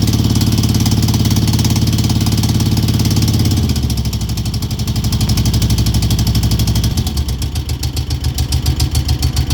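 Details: 2002 Moto Guzzi California EV V-twin at lumpy idle: steady light tick keeping time with the engine; source not pinned down.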